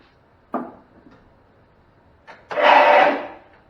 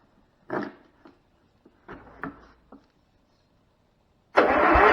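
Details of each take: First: 35-year-old Cub Cadet Model 1210 garden tractor, sitting an estimated 5–10 years, on jump pack: brief click then fast free whirr under a second with no cranking beat. Starter runs noisily but does not engage flywheel; owner suspects solenoid/drive not engaging. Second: 35-year-old Cub Cadet Model 1210 garden tractor, sitting about 10 years. Starter refitted: clicks and knocks, then about a second of strong, even whirr turning the engine freely. The starter works.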